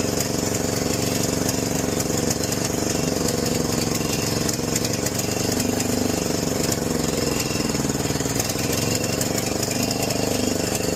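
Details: John Deere 6200-watt generator with a carburetor varnished by four-year-old fuel. Even after cleaning, with the choke fully off, the beat wanders and surges instead of holding steady and the outlets give no power. A replacement carburetor was ordered.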